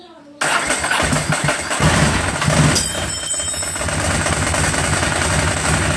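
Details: Ducati 749S that wouldn't start, suspected flooded: after refitting the spark plugs and reconnecting and priming the fuel pump, engine catches within a second and settles into a steady, even idle with no misses or knocks.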